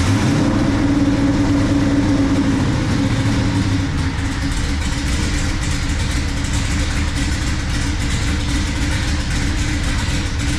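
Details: 1970 Dodge Super Bee, Gen 3 Hemi on Holley Terminator X Max EFI with a Hi Ram manifold and MSD coils: a deep, lumpy V8 idle that is missing, with fuel pressure at 58 psi and oil pressure only 9-10; rough idle, cause unknown.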